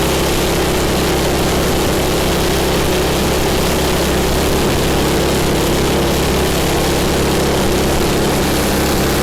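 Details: MTD snow blower small single-cylinder engine, owner-reported governor issues, after governor spring repositioned: steady, even run with no hunting or surging; governor and mixture sound properly set, normal running.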